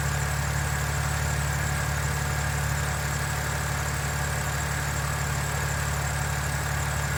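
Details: BMW N52 inline-six, still no ticking after 2700 km: smooth, even idle with steady low hum and no lifter tick; healthy engine.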